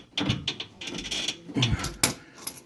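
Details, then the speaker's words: 2004 Ford Mustang, whole rack and pinion moving as the steering wheel turns: irregular dry creaks and clicks in short bursts, no engine beneath; worn rack mounting bushings, fix is replacing the bushings. "that's the same noise it makes when you turn the steering wheel that's what that creaky noise is coming from and it's the bushings in here that are bad"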